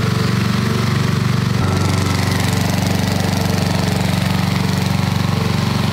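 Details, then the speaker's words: 1990s Snapper riding mower with a Briggs & Stratton flathead, sat for years and has had no oil change in a long time. Steady, even thumping idle at about three beats a second, no stumbles or knocks. Normal idle. "that's the idle that's not bad"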